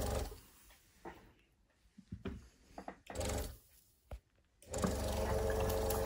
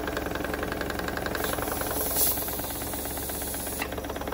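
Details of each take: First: Mamod SP2 steam engine run on compressed air, water in the cylinder: halting puffs, then a fairly even but laboured chuff about four a second; trying but not running freely, water suspected as the cause. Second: Wilesco D16 steam engine run on compressed air after lubricating: quick, even chuffing around three to four per second with steady air hiss; running smoothly and well, normal running.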